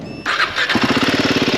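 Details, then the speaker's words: Royal Enfield Himalayan 450 starting: starter whirs, engine catches into quick pulsing idle with sharp ticking on top; excessive tappet noise, returned within 20 km after tappets were tightened. "ಕೇಳಿಸ್ಕೊಬಹುದು vehicle ದು sound ಹೇಗಿದೆ ಅಂತ ಕೇಳಿಸ್ತಾ ಇದಿಯಾ so vehicle engine ಅಲ್ಲಿ noise ಇದೆ reason ಏನಪ್ಪಾ ಅಂತ ಅಂದ್ರೆ ಟ್ಯಾಪೆಟ್ ನಾಯ್ಸ್ ತುಂಬಾ ಜಾಸ್ತಿ ಇದೆ"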